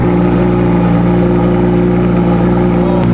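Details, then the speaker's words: Crashed Lamborghini Huracan V10, 29,000 miles, front damage, a front cooler missing so only briefly run; strong, clean note holding steady at raised revs, no knocks, rattles or misfires: normal engine revving, sounds good. "absolutely mint it's a Macker it sounds good"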